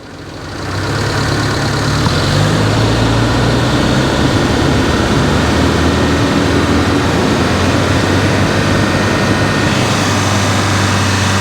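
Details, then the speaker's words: 1995 Daihatsu Feroza after oil pump replacement, fully hot, held at 3000 rpm: smooth steady hum with no knocks or ticks, oil pressure 36 psi within the 36–71 psi spec; healthy. "3000 RPM we have 36 psi pressure."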